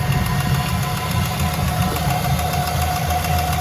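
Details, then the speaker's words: LS-swapped BMW E46 on its first drive, at idle after an oil pressure check (about 40 psi at 2K and 3K): steady V8 idle with a light, even valvetrain tick, likely a lifter. Smoke is from spilled oil on the header. "A lot of smoke coming from there, but I did spill a little bit, and we can see our ticks back."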